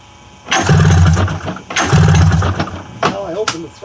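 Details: 1994 Polaris Indy 500 EFI snowmobile with fuel pump hot-wired: two pull-start bursts of quick chugging, about a second each, turns over but never fires; has spark, no fuel delivery suspected.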